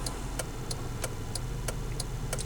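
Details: Mazda Protege at freeway speed: sharp metallic ticks about three per second timed with wheel rotation, worse when letting off the accelerator and gone under braking; wheel bearing suspected at first, cause was loose front lug nuts.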